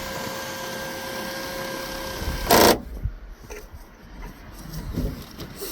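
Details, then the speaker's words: Renault Clio with a retrofitted original-style electric sunroof on the factory pre-wired harness: small motor whirs steadily, then one loud clack as the plate jumps; a known defect, said to be fixed by adding a soda bottle cap. "Le bruit, c'est normal, c'est la plaque qui saute. Ouais. C'est une maladie, mais on met un bouchon de soda et ça fait le taf."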